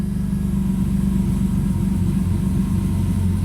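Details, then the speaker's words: 1998 BMW M3 E36 3.2L straight-six, aftermarket supercharger, 5-speed, codes P0170/P0173, stalling and power loss: warm idle sags and surges, nearly cutting out with no misfire beat; idle hunting from a vacuum leak at the idle air hose. "it sounds like it wants to cut out it doesn't seem like a miss though it's not happy"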